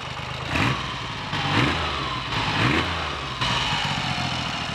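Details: Triumph Trident T150V triple after first start in over two years: clean even idle, throttle blips rise and fall smoothly without misfire or knock; normal idle with revving.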